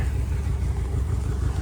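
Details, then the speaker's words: Yamaha 60 hp outboard on a 17'5 On the Bay Craft skiff, first runs: deep, steady low rumble with an even beat, no misses or knocks; runs normally and strong. "We just had to clear out the cobwebs. She's turning into a into a beast."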